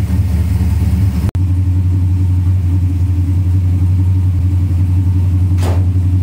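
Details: 1972 Chevelle with a 4-barrel Holley carburetor, after replacing the front float pan gasket and diaphragm to cure a gas leak: deep, steady V8 rumble with an even beat, no stumble or miss, no leaks seen; running clean and healthy.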